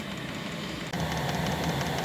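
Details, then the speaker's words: Diesel air heater (dry heater) in a DIY electric car after fuel pump replacement, first start: steady even rushing roar with low rumble firming after a brief dip; warm air flowing, combustion normal. "Пошел теплый воздух. Все работает. Звук горения слышно."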